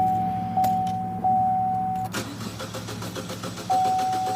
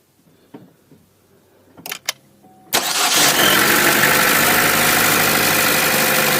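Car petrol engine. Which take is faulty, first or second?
first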